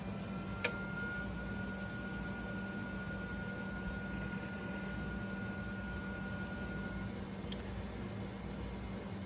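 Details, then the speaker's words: Repaired original MFM hard drive in an old Compaq 386: quiet steady hum with faint even whine and a click or two, no squeal or scraping. Normal hard drive operation. "Well, seems like we got a working machine now. Uh don't have any noise and that's great."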